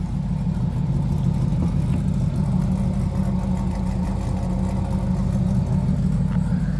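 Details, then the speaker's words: 1996 Chevrolet Camaro Z28, 5.7 L LT1 V8, 4-speed automatic, tuned on stock cam, just started: deep steady idle with gentle rhythmic lope, smooth underneath; owner notes a Y-pipe exhaust leak; healthy tuned idle. "Fires right up. Because it is tuned, it does have a little bit of a lope to it. It is on a stock cam"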